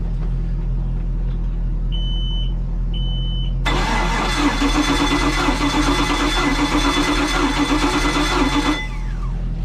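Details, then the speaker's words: Volvo Penta 5.7 DP-SX-M marine engine that shakes and runs badly, suspected compression issue: after two beeps the starter cranks with an uneven beat, one stroke coming up light; sounds like a dead cylinder. "it sounds like we have one dead cylinder"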